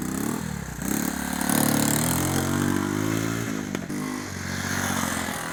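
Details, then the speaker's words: Honda ATC 110 barn-find three-wheeler after a carburetor cleaning, ridden with no choke: the single cylinder revs unevenly and sags when the throttle opens, bogging down. Owner suspects a float bowl or needle valve issue. "alright guys as you can see it runs and rides with no choke on although you heard it bogging down a little bit I'm sure the thing when I hammer on the gas full throttle it would bog down so I've still got something to work out here"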